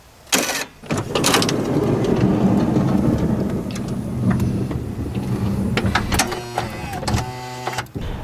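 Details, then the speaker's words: Third-generation (2005–2010) Honda Odyssey power sliding door after replacing the worn release actuator/solenoid, tested with the remote: short firm actuator buzz pressing the latch arm down without struggling, then even door travel and clean latching clicks; normal operation. "you can even pay attention to that actuator arm and notice that how it pushes it down with a nice authoritative buzz and it presses down on that assembly without struggling like the old motor"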